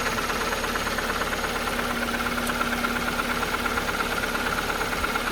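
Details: Opel/Vauxhall Astra H Z16XEP twinport at idle after the repaired lower inlet manifold was refitted: light, fairly even metallic rattle about three times a second over the hum; rattle persists, source undetermined.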